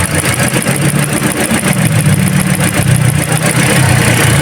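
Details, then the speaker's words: Toyota Altis that was vibrating with low power, after a new ignition coil was fitted on cylinder number two (spark plugs okay): the engine idles with a steady low hum and even pulses, all cylinders firing cleanly. "na okay na sir gana na siya oo ayos ignition ko lang talaga yung spark plug mo okay pa"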